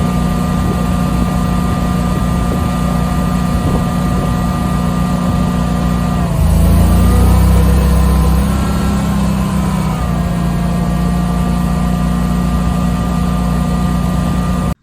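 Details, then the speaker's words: Generator running an air conditioner without a Micro-Air EasyStart soft starter: steady drone dips and labours a couple of seconds as the compressor kicks in, then recovers; heavy start-up load, unlike on utility power. "hear this air air conditioner when it started it just does not sound you know the same on the generator as it doesn't utility power"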